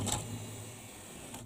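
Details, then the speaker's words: Memorex CD 5400 CD player, top off: brief motor whir at start and end, tray moving in and out cleanly without clicking or grinding; normal tray operation. "it just sits very slowly comes back goes in catches it out okay so that's seems to be as you can see working okay"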